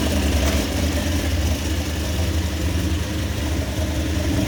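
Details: Toyota 1JZ engine in a van, freshly fitted upgraded head and 282 cams; deep loping steady unloaded idle with uneven chop in exhaust beat: lumpy idle from the performance cams.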